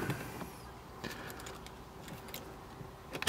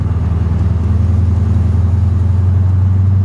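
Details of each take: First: Mercedes CLK55 AMG with M113K engine after repair work, fuel pump priming and rail pressure good; cranks briefly, catches cleanly and settles into steady, even idle with no misses or knocks; healthy start. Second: Mercedes CLK55 AMG with supercharged M113K V8 on first test drive after work: steady, loud low hum holding one deep pitch while cruising around 2500 rpm; exhaust drones glaringly through the cabin.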